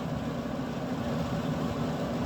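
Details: Camp Chef SE Smoker Pro, left in the rain, after repairing the auger that would no longer spin, starting up: steady, even low hum with no knocks or catches; fan and auger drive running smoothly. Normal running.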